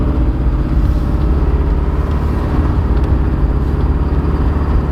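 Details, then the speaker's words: Abandoned 1986 Porsche 944 four-cylinder, last registered 2006 and seldom run, driving on the road: a heavy low drone with an uneven stumbling pulse, misfiring but not pinging. Owner suspects bad gas or at least one dead cylinder; cause not confirmed. "Doesn't sound like it's pinging or anything, it's just misfiring."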